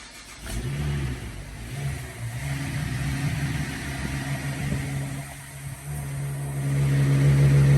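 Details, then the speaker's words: First start of an engine after cleaning out crusted sludge: catches quickly, settles into a steady even low rumble with a light rev, no knocks or ticks; muffler a little loud; normal start and idle. "Muffler's a little bit loud but you know uh idle down just a little bit here in a second all went together real good sounds like it runs good"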